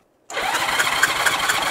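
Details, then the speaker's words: Abandoned 1981 Honda GL1100 Gold Wing with a previously seized engine, compression test. Starter whirs with even pulses, no weak beat; reading rose immediately to match the other good cylinder. Other cylinders: front left dead, one under 100. "Mira cómo subió de inmediato. Está donde estaba el otro. Sí. Así que estamos bien en dos."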